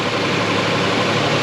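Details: 2000 Nissan Frontier 3.3 4x4 after timing belt, water pump and crank pulley replacement, idling while radiator is refilled with blue coolant to purge air: brief even idle with steady rushing hiss, no knocks or misses; smooth and healthy.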